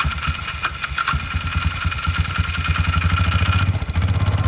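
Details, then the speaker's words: Polaris Sportsman 500 ATV (owner thinks 2002), bought non-running after sitting a long time, fuelled with 2-stroke gasoline; the single-cylinder catches on first start, settles into a steady beat and picks up on light revs. Running normally. "Ah, yeah. Guys, I told you I was going to light it up as soon as I started it. Well, I tried, but I didn't want it to die. But as soon as I got it going, I got it going."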